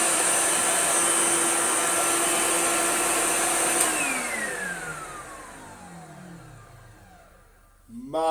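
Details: Orange Hoover Celebrity S3005 vacuum after restoration and rewiring with new ribbed cable, switched on to compare with when first acquired: steady smooth high motor whine, pitch sliding down as it spins off; motor healthy.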